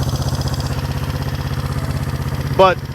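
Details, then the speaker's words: 1971 Honda CB350 twin, claimed low compression but compression felt fine by finger, throttle cable suspect: even, steady firing pulses with no skips; normal idle, firing on both cylinders. "I think it's firing on both right now."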